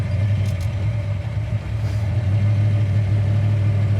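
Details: 1966 Ford Mustang K-code, 347 stroker V8 about 50 miles since rebuild, aluminum heads, new 4bbl carburetor, dual exhaust, not yet warmed up: deep, even idle rumble, no knocks or misses; healthy engine.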